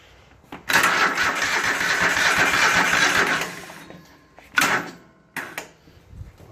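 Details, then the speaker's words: Husqvarna riding mower with Kohler Command 25 hp CV730, after carburetor cleaning, coil replacement and rewiring following mouse damage: starter cranks about three seconds at a dragging, uneven pace and never catches; battery is bad, charger reconnected. "Hit my battery charger on here again. That battery in it's crap."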